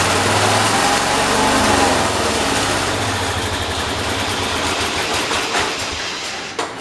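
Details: John Deere 212 tractor engine after new carburetor gasket: races up high, then revs sag and fade until it dies; won't stay running off choke, surge and stall from loose carburetor mounting.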